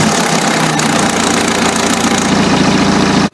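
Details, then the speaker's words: Timing chain engine on start-up after sitting overnight: a dense metallic rattle for two or three seconds as a worn tensioner fails to take up the slack and a guide slaps the chain, a sign the chain may jump. "Jak łatwo taką awarię rozpoznać podczas uruchamiania silnika jak na przykład napinacz nie jest w stanie już napiąć A jest jeszcze sprawny macie taki terkot"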